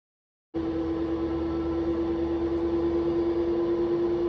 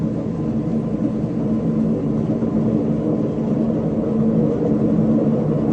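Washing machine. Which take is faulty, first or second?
second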